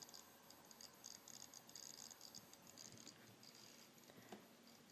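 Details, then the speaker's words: WD My Passport 1TB external hard drive, about a year old, plugged into a Mac; faint light ticking repeats and drive is not readable; WD suggests the USB cord may be at fault, cause unconfirmed; clicking hard drive. "I'm about to plug it in and it makes this noise that so yeah I don't know what the heck it is it just keeps making this"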